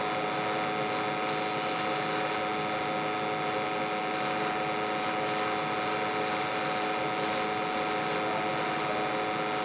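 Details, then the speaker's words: Boiler in Clearwave water treatment experiment, light-off after filling with cold water, boiler dirty and due for cleaning: even unbroken roar and steady hum, no surging or popping; burner firing cleanly and stably. "yeah want to see a nice clean light off versus boiler is filthy it needs a cleaning but is what it is"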